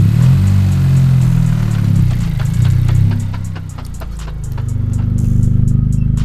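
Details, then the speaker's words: 10th-gen Honda Civic Si: sharp, fast ticking a few per second that quickens with road speed rather than engine rpm as the car rolls; owners suspect a blown transmission, engine ruled out. "It doesn't sound like it does it with the RPM. It sounds does it like with the car rolling."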